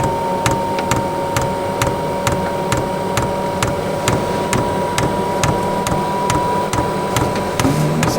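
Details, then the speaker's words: Newly installed eBay diesel heater in family caravan, first start: dosing pump ticks sharply about twice a second over steady fan hum while diesel is just coming up the line; burner not yet lit. "so we're clicking we haven't pulled any diesel yet but we are pulling diesel but it's not just starting to come up the line"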